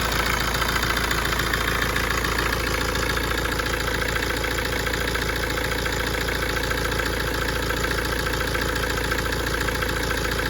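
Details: Tata Safari diesel that also has engine vibration and heating issues, idling steadily with a regular click about three to four times a second; abnormal engine clicking at idle.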